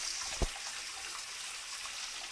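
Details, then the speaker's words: Old Grohe Grohmix thermostatic mixer tap after repair, water at 38 °C raised to 60 °C: smooth steady hiss of running water with one small click; the former whistling has completely gone. "et là là ça commence à devenir vraiment très chaud on a du mal à à tenir la M sous l'eau donc voilà les sifflements ont complètement disparu"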